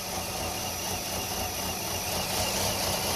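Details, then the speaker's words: Nissan Altima 2.5L four-cylinder, 101,000 miles, codes P0011/P0300, stalls after starting: rough, uneven laboring idle with lumpy pulses heard in exhaust, car shaking, dies in gear; faulty intake valve timing solenoid. "Running a little rough now. Car is shaking. Got 101,000 miles. You can hear it in the exhaust. That's about to die."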